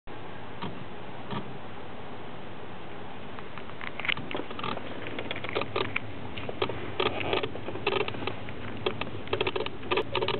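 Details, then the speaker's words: Sharp irregular clicks in quick bursts with engine off after an engine stall: the main relay chattering. "Yes, it's a relay. There you go. It's really bad here. Yes, it's clicking there."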